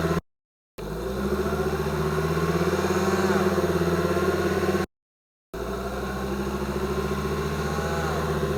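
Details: 2005 Volvo XC90 2.5T AWD, mics beneath the car, accelerating from a stop: a thin whine climbs with speed, appearing at 2000 rpm as 2nd gear engages; gear whine suspected, not confirmed.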